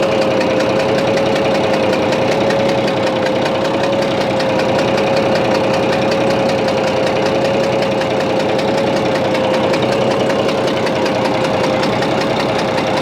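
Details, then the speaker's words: Bizon A-01 diesel at idle: irregular knock and chuff two to three times a second over a steady drone, odd noise also on shutdown; reacts to loosening the No. 3 high-pressure line, owner suspects head or injector, unconfirmed. "вот это звук слышали еще какой-то непонятный во время когда глушишь не должно быть такого"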